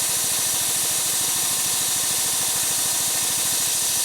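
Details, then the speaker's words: Harbor Freight air compressor with a new replacement pump: loud steady rush of escaping air over rapid chuffing as it cuts out automatically; normal unloader venting at cut-out. "so as you can hear it it kicked in automatically I didn't touch it going to it's about to uh kick back uh it's actually the unloader is going to start unloading now"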